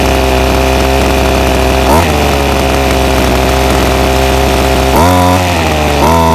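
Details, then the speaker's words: Ryobi SS30 30cc two-stroke weed trimmer holds a buzzy idle, then each throttle blip stumbles and sags, bogging off idle; before carburetor low-jet adjustment via plastic limiter knobs, which later cured the bogging and stalling. "so I've got the ryobi s s30v trimmer here and it's been running really bad just bogs out whenever I give it throttle so I'm back at trying to adjust the carburetor"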